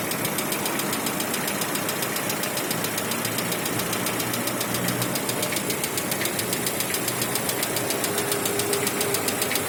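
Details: 2016 Lada Vesta 1.6 cold idle: fast light ticking knock over engine hum, gone once warm; attributed to hydraulic lifters and piston slap; switching to Zic X9 5W40 oil reduced it.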